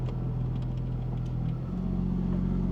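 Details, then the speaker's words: 23-year-old Porsche 996 Turbo, 150,000 miles, warm idle after repair: when AC switches off idle steps up briefly then settles cleanly, no hunting or stumble; previously idle worsened with AC off, now fixed. "so it goes up for a second and then settles right back down oh that's outstanding guys another thing fixed"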